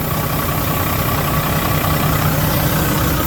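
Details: Volvo FH4 truck diesel engine, about 100,000 mileage, after repeated repairs for an engine knock: steady, even idle with a smooth low rumble and no knock; knock no longer present, engine running clean.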